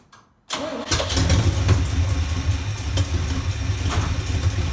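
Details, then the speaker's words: V8 with a no-spark no-start, blamed on a bad coil in the HEI distributor, after fitting the replacement distributor with a spark tester attached and not yet timed: a short crank, then it fires into a steady, even rumbling idle. It starts and runs fine. "all right guys so as you can see it was running"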